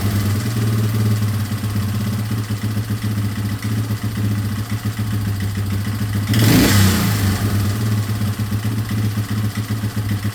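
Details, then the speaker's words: 2003 Yamaha Wolverine quad with fuel tank refitted and no longer leaking after fuel-leak repairs: even, steady thump at idle with one brief throttle blip, settling back smoothly; runs pretty good. "So I'm gonna make sure it runs with the tank and everything on, and then if it does, then I'll throw everything else back on and hopefully go for a little ride. So. Runs pretty good."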